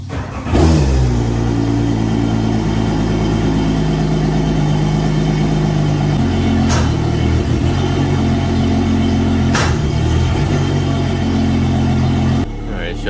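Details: Port Yamaha 300 outboard on a new 2022 Regal 38 XO, test run after its 20-hour service: catches quickly and settles into a smooth, steady idle with even tone until shut off; sounds healthy.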